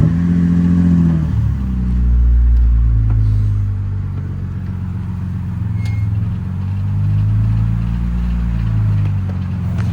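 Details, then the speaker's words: BMW E90 drift build with a welded differential, creeping along: uneven clattering thumps, about three or four a second, under a low engine rumble. Something in the driveline sounds wrong; cause not confirmed. "Is that an issue or am I tripping? Y'all hear that?"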